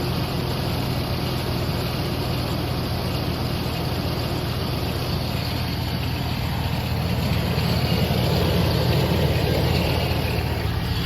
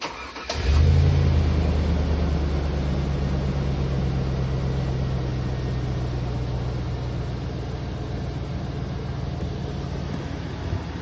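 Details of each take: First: 2002 GMC Sierra Z71 V8 idling: loud, rough whirring drone from the front of the engine bay; source being located, cause suspected, not confirmed. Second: 2002 GMC Sierra Z71 V8 catches quickly, flares briefly, then settles into a steady, even idle with no knocks or rattles.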